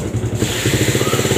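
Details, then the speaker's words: Yamaha Vega ZR with rough engine noise and white exhaust smoke, at idle: harsh rhythmic clatter from the front of the engine; piston may be loose, or possibly a worn camshaft, which on this model runs without a bearing. "Ia juga suara ngeledek di bagian dalam ini suaranya sih mirip di bagian Hai Kayak dibagian depan yaitu seputar piston mungkin sudah terlalu longgar tetapi juga bisa karena noken as sudah mulai kocak"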